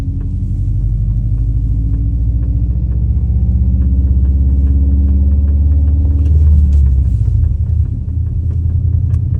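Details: Subaru driven slowly back and forth in a parking lot: light, quick knocking about four times a second from the front end over a deep rolling rumble, started this winter; owner suspects brake pads, axle also considered.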